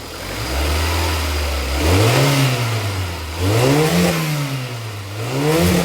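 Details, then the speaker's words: Ford after new plugs, leads and coil pack; it had hesitated and felt like it misfired under hard throttle. Now it idles evenly and takes three clean blips that rise and fall smoothly, with no misfire; normal revving. "There you have it. A lovely a lovely running engine."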